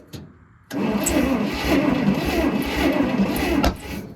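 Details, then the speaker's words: Old Bantam truck crane left in a quarry for years, cranked on ether after cleaning, with no spark seen at the wire: uneven starter chugging ends in a sharp pop with no run following. Owner suspects the firing order is wrong. "Woo! That's a backfire, that's a good thing. One more try. All right, we got a backfire, so that's kind of exciting."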